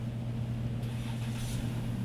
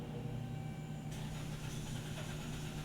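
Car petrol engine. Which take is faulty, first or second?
second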